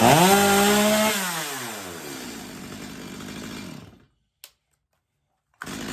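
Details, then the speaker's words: Stihl MS250 chainsaw after carb retune (previously warm-restart trouble), warm; drops from high scream to a steady, even idle with no hunting or bogging; tuner satisfied with tune. "all right I'm pretty satisfied with that uh we'll give it some test Cuts here and some wood just not tonight"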